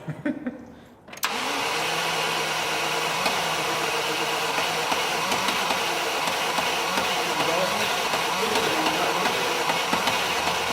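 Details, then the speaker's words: 1982 Range Rover, 3.5-litre petrol V8, long-neglected revival, cranking after a fuel hose was reconnected under pressure: starter cranks steadily without catching while a constant loud hiss of escaping fuel runs over it; fuel leak. "Hang on, I can hear fuel, Oh, this isn't good. Oh man, I was so close."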